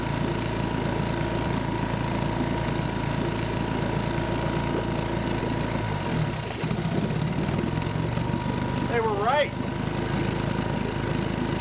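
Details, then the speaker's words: 1952 Johnson Seahorse 5 hp outboard after float lapping and new cork: slow lumpy idle with missing beats, running on one cylinder; that plug sparked when tested but stopped sparking once running; points cleaned, coils replaced. "next let's prove it's only running on one cylinder"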